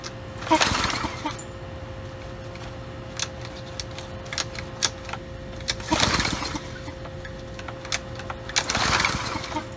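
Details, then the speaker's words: Curbside Brute Briggs and Stratton 550e pressure washer, filthy, worn primer bulb pressed a couple times: three rope pulls with rasping whirr, never fires; hard start, owner plans to pull and clean the carb and replace primer bulb. "okay well uh not an easy start I say we begin with same thing that most of these engines need a carb"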